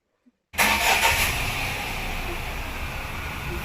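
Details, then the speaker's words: Tata Tiago petrol, 59,000 km, after repair of engine vibration and knocking noise: quick clean crank into steady even idle, no shake or engine noise felt at the steering wheel. "இப்போ start பண்ணுறேன். Start பண்ணால் எந்த வைப்ரேஷனும் இல்லை. Steering மேலே கை வச்சா எந்த engine நாய்ஸே கேட்கல."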